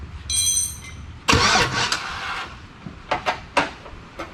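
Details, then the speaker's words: Chevy V8 swapped into a Jeep Comanche, starter wired via makeshift hot wires and the computer not yet powered: chime, then short bursts of brisk normal cranking without catching. "we've got a starter that will turn now at least so that's step one"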